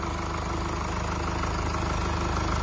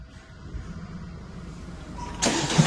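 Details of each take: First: 2017 Mercedes E-Class W212, 654 diesel engine, 153,000 on the clock, just after rocker arm replacement for a knocking noise: even, steady idle with smooth regular clatter, no top-end ticking or knocking; sounds healthy. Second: Mercedes E-Class W212 (2017) with OM654 diesel at 153,000, started and idling: steady knock about three times a second from the valvetrain, worn rocker arms, before rocker arm replacement.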